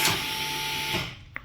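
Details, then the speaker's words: 2019 Toyota Camry ASV70R 2.5L 2AR-FE, ignition on, rear electronic parking brake switch held down: steady high whirring whine from the rear caliper motor for about a second, then clean cutoff; normal EPB release before rear pad replacement. "You can hear the whining noise in the back caliper. You can hear the noise. It's whining back. We have to wait for until that one stop it."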